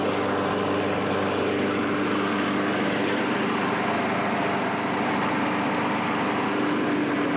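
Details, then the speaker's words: Curb-found self-propelled Craftsman mower after carburetor cleaning and reinstall, cutting light growth: steady even engine drone at constant pitch with no surging or misses; runs well. "runs along better it actually does an okay job cutting some of this stuff too"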